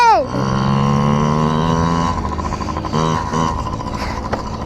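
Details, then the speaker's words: Yamaha PW50 two-stroke warming up after carburetor clean for bogging and dying at wide open throttle: buzzy note falls cleanly to a steady run, then picks up crisply on throttle with no bogging or cutting out. "So, safe to say the carb is clean. We're just going to run it dry now. I'm sure the neighbors love this part. Sounding good too."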